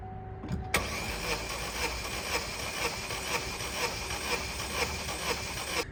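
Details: Copart-rebuilt Vauxhall Astra GTC with a misfire and no OBD codes, cranked during compression test with plugs out: even cranking about two beats a second, each stroke pulling equally, around 200 reading; compression sounds healthy.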